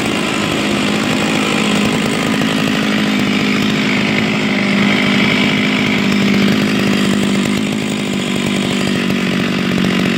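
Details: Oleo-Mac 264 chainsaw reportedly run on straight fuel without oil, turns over without notchiness: steady, buzzy drone with a slight uneven warble; runs, but internal wear is suspected and a rebuild may be needed, not confirmed.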